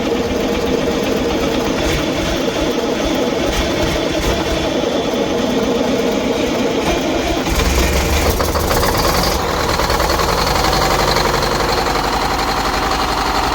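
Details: MCI custom coach diesel idling; steady idle with a faint constant whine over it, unchanged with idle. Power steering whining; a power steering leak still to be found.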